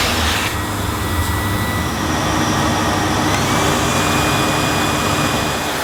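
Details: Panasonic MC-E862 bagged cylinder vacuum, bought new in box, picking up dirt on deep pile carpet: a steady, even rushing whoosh with a constant motor hum and no surging, rattles or squeal; a relatively quiet, good performer running normally.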